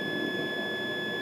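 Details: Acid/battery-damaged Acorn Archimedes A3000 motherboard being repaired, continuity check across patched processor/memory/I/O traces: one clean, steady high-pitched beep without dropouts; solid continuous connection.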